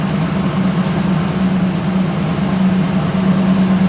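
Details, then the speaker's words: Chevrolet Silverado with code P0300, power-braked in reverse under load: deep steady drone with an uneven beat; scan tool shows misfire counts on all even cylinders (one bank) and zero on the odd ones. "we're going to look at the misfire counts when we load it see what's going on"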